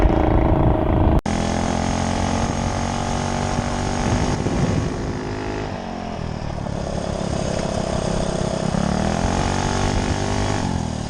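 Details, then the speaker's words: Mini ATV engine with a GoPowersports Juggernaut torque converter just installed, first short ride test: it holds a high, strong scream that climbs and settles with throttle, staying in its happy rev range instead of bogging; revs freely under load. "she screams. Yeah, it just feels like it's more in its happy rev range versus being kind of bogged down."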